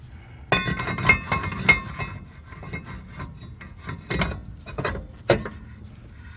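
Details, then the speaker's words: 2018–24 Toyota Camry rear brakes, parking brake shoes just adjusted with rotor off: faint irregular scraping as hub turns, shoes lightly kissing the drum; slight drag is normal and wears in while driving. "It's slightly rubbing just a little bit, and that's absolutely fine. They will shim it off a little bit as you drive, but that way your e-brake will be gripping perfectly when you need them."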